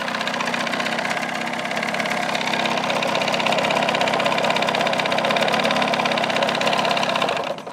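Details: 1979 Evinrude 35hp two-stroke outboard running in a test barrel with the hood off, sound-level readings about 83.6 to 96.4 dB, before sound deadening; steady, even buzz with a crisp rapid beat and no knocks or misses; healthy.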